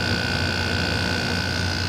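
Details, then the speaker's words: 1995 Panasonic 7800 BTU air conditioner, compressor after it had been sitting, now run for a while: smooth constant hum with a faint steady whine, no knocks or rattles, quieter than before. Normal compressor running. "i just really needed to run it's a lot quieter now"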